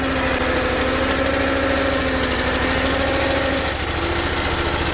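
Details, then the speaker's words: Bolens 1600H hydrostatic garden tractor, small engine cold and still on its original oil: steady running with a strained hydraulic whine as the hydro drive fights the applied brake; forward doesn't drive, reverse still works. "You guys hear the hydraulic? She's fighting herself. The brake's on."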